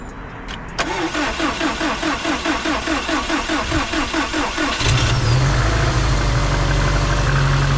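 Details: Completely dead car jump started with an AutoOne jump pack: starter cranks steadily for about four seconds, then the engine catches and settles into a smooth, even idle; a normal start.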